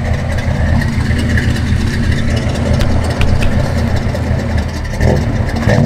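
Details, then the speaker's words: First-gen project truck, carbureted per owner: on sharp throttle snaps the revs bog and nearly die, then roar back; owner unsure of the cause. "when I would smack the accelerator the thing would kind of bog down and almost die you know in then it would kind of roar back to life"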